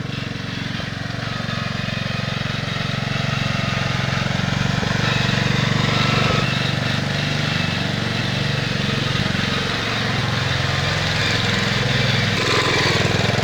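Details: 1969 Bolens 850 tractor, Wisconsin S8D 8.25HP single-cylinder, run after carburetor initial adjustment while tuning points: held at high revs, rough loose rapping over exhaust note; knocks badly at high RPM, idles poorly, smokes; cause unknown.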